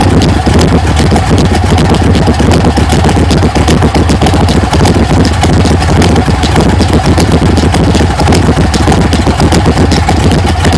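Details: 1980 GMC Sierra C15 with junkyard L31 Vortec 350 (9.5:1), Summit K1107 .488/.510 lift cam, Performer RPM intake, 600 Holley, Flowtech headers, Thrush mufflers; cold start, loud choppy lope about 2.5 beats a second under deep rumble, hunting, mic clipping; rough lopey idle from big cam.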